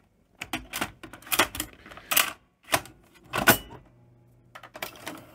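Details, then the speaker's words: Philips N1700 VCR Long Play machine, dirty inside, winding a sticky cassette with locking spool: irregular mechanical clunks and clicks in uneven bursts with quiet gaps; tape transport struggling, unclear if machine or tape, another cassette ran happier, suggesting the cassette. "is it the machine is it the tape we've obviously got some struggling going on there it's not happy is it"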